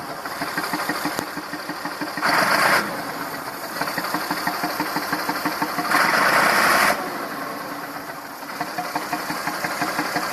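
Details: Massey Ferguson 2645 tractor, Perkins 6-cylinder diesel, owner claims rebuilt 100 hours ago: idle about three pulses a second, uneven beat stumbling now and then, one weak cylinder; suspected poorly closing exhaust valve causing low compression, unconfirmed.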